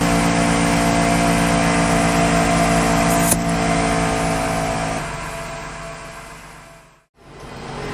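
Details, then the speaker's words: Onboard 12V ARB air compressor in a Ford Transit cargo van, running with the engine on while inflating a tire deflated to 25 psi: steady, even buzzing hum, no rattles or strain; normal compressor running. "then i go outside connect the hose and inflate the tires that's what i'm going to do now then i connect the hose okay okay and with the engine running i can inflate my tires"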